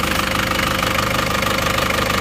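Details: Isuzu Panther diesel after rebuild (liner, piston rings, gaskets), warm, brief throttle blip: even, steady clatter with no misses or knocks, no more smoke; normal idle and rev.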